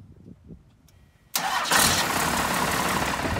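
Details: First-generation Dodge pickup after corroded starter-circuit terminals were cleaned and greased, voltage drop found with a multimeter: quiet, then one short crank and the engine catches at once and settles into a steady idle; starts cleanly.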